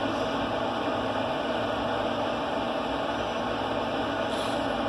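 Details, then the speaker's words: Z Grill 700E pellet grill during burn-in at high temperature, climbing fast: constant, even rocket-like rushing roar with no knocks or pitch changes; fire pot burning normally with blower running. "That thing's probably running like a jet engine down in there. You can hear it sound like a rocket, so the flame's going."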